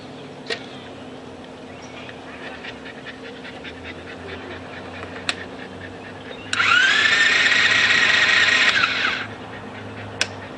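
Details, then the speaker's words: Loncin Chinese ATV (Viva) that won't restart, cranked with the spark plug removed: starter spins the engine evenly for about three seconds with no firing; the motor turns over smoothly, no spark found, cause still unknown. "over and yeah that's without the spark plug in it but it's turning over smooth I'm sure sure that motor's fine it's just got to figure out why it's not sparking"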